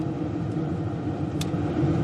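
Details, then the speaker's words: 2000 Ford F250 Super Duty, idling, new HVAC blower motor at the upper speeds: steady rushing air, smooth and free of ticking or grinding. All four speeds work; the blower is running normally after replacement. "so looks like we've got all four speeds looks like our new motor if I could speak looks like our new motors working"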